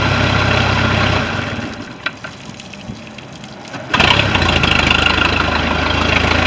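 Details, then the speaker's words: MerCruiser I/O sterndrive that wasn't pumping water at idle, final run after repair of the worn upper-drive water tube grommet: cuts out, restarts and settles to a steady, even idle with smooth low rumble; normal idle. "All right. That's good."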